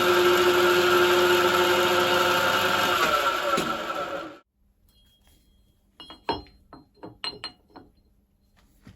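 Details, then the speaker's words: 1960s turret mill with an epicyclic planetary-gear head, running in the low-speed range: steady high-pitched gear whine at even pitch until the spindle stops; this drive is documented as noisy, normal. "you can change the speed of this SL the high speed so that's going down a little bit because it's not using the upper C off it speed that's a lot noisy now because"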